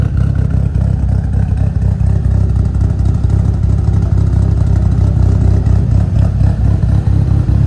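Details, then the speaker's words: 2003 Mitsubishi Evo 8 with aftermarket cams, already warmed up after an earlier cold start: deep uneven loping idle with a rocking beat about twice a second, clean and steady. Normal lumpy cam idle. "Got those nice cams, give it a nice lope."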